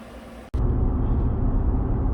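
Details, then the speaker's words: 2018 GMC 5.3 V8 truck on a road test at steady cruise, with O2 sensors switching, cats working and fuel trims around ±2-3; a defective replacement front O2 sensor had caused the bank 1 rough running. Smooth, steady engine drone with road rumble and no misses. "I don't know why he changed it in the first place, but he ended up putting in one that's defective. Truck runs beautiful right now."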